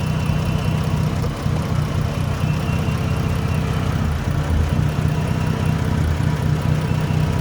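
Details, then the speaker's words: Dodge Journey alternator test: negative cable unhooked, jump box positive still attached; engine immediately wanted to stall and struggles to keep power, low idle sagging and dipping; owner suspects alternator, not confirmed. "you guys may be right it didn't cut right off yet but it immediately wanted to i don't know if y'all could hear turn your phones up but now it is definitely struggling to keep power"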